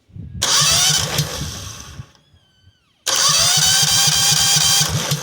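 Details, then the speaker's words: Cub Cadet 2130 AGS lawn tractor, corroded, water in fuel: starter cranks engine steadily in two bursts after bypassing to the main battery hot, but it never fires; crank no start, no fuel shutoff solenoid. "We got crankies. Now, this engine does not need voltage to run unless it has a fuel shutoff solenoid, which it does not."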